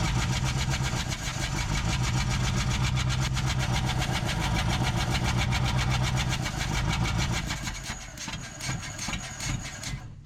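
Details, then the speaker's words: 1947 Ford Coupe flathead V8, unrun for about 15 years, throttle reconnected: rough lumpy beat near four per second with uneven coughs, popping back through the carburetor; ignition arcing seen; cause suspected, not confirmed. "Still seems like it's puffing through the carburetor. Why is that?"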